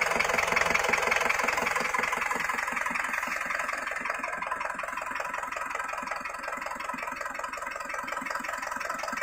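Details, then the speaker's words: Isuzu Panther diesel from Semarang, engine rebuilt after broken piston rings caused blow-by; new rings in old liners, first run-in after rebuild; even, steady idle clatter of two to three knocks a second, no misses or rough patches; runs sound. "Setelah naik mesinnya tadi, setelah dihidupkan, itu kita bawa jalan ya ini. Seker baru, jadi agak sedikit dirayon juga ya, karena sehernya baru, walaupun liner lama tapi sehernya baru akan kita rayan sebentar ya."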